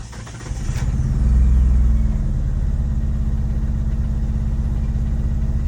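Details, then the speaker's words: 2G Mitsubishi DSM (Eclipse/Talon, 4G63 community) that won't start properly after being cleaned, fuel pump primed 10 seconds: labored start into low, lumpy, uneven idle, said to run on only a couple cylinders; cause suspected, not confirmed. "But the guy says that it's only running on like a couple cylinders or some shit. It sounds like a Subaru."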